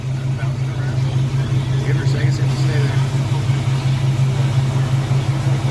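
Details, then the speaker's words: TBI-converted engine with cold spark plugs and throttle body spacer/injector riser idles lumpy and uneven, about three pulses a second; owner cites unburned fuel, suspects a sensor problem (possibly MAP sensor) or a need for hotter plugs; rough idle, cause unconfirmed. "good it's just getting it to work at idle alright [Music] so just unburned fuel so"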